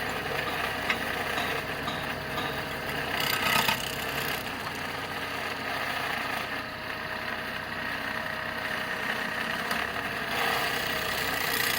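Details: Idling engine with a dry, uneven rattle from the belt area; the auto belt tensioner pulley bearing turns poorly and is worn — source of the engine rattle.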